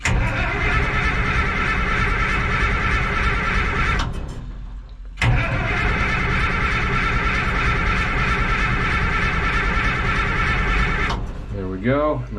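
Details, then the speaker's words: Minneapolis Moline A4T 1600 diesel tractor in neutral on a chilly day, just after fuel filter change (crud and water from tank) and priming: steady, free starter cranking to build oil pressure before fuel is given. "Neutral. I'm going to crank it over a little, try to get some oil pressure."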